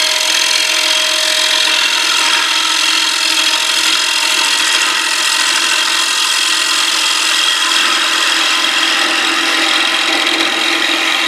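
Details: Wood lathe at about 361 rpm turning a box elder flat platter blank about nine inches across, after the turner stopped the chatter: even steady cutting hiss with no chatter or knocking; normal clean lathe cutting.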